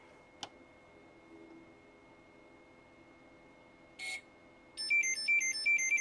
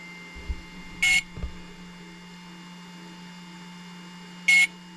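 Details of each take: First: Hobbywing XRotor X6 Plus DroneCAN motor on a hexacopter bench prototype: a faint click, a short chirp, then a quick rising melody of clean beeps as the Pixhawk flight controller reboots after the motor's CAN parameters are written; normal reboot chime. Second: Hobbywing XRotor X6 Plus DroneCAN motor on bench, powered by two 4S batteries in series: two short high beeps about 3.5 s apart over quiet hum; ESC ready but Cube Pilot flight controller not yet communicating.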